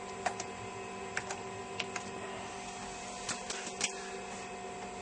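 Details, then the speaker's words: Zenith Data Systems 286 (Hercules mono display) loading a game from floppy disk: soft, steady drive hum with scattered sharp head-step clicks and short seek bursts. Normal floppy drive reading. "This may take a little while to load off floppy disk."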